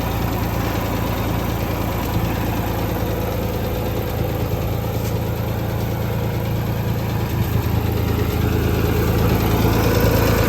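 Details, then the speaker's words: Ford 2600 diesel tractor idling after valve adjustment: steady low idle with only faint light tapping under the valve cover, much quieter than before; healthy. "so these are pretty noisy but you hear a little bit of tapping ignore ignore that whatever that noise is but you hear a little bit of tapping under the Val cover but not like it was before"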